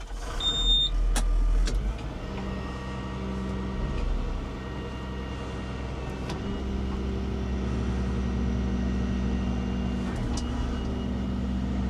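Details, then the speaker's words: Volvo digger working after a grease nipple was fitted to the previously squeaking pivot pin whose grease ways were caked: steady diesel rumble and hydraulic whine, no squeak from the pivot; pin now quiet. "So, that was definitely the uh the squeaking pin. Got a grease nipple in there now, so we can keep on top of that."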